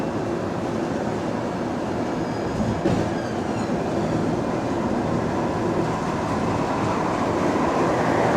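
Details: GAL bus EBD67 on route SL4, after its creaking suspension noise was fixed, recorded inside the bus: a steady, unbroken rolling road rumble with no creaks or clunks over bumps. Normal ride, suspension quiet.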